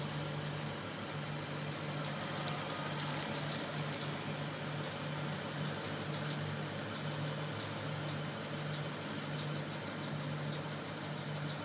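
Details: Lexus IS F V8 at steady idle with a light, busy tapping knock over the hum; owner links it to Toyota's faulty valve spring problems, cause unconfirmed.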